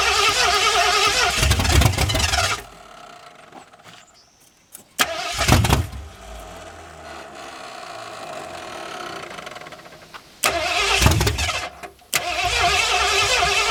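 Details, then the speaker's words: Sharp pop through the carburetor while cranking a 1981 Mustang 5.0 parked since 1996, first start attempt on a temporary fuel tank; the engine fired unexpectedly early, then the tank petcock was found closed. "That initial fire scared me. I wasn't expecting it to happen so soon. I woke up the neighbor's dogs."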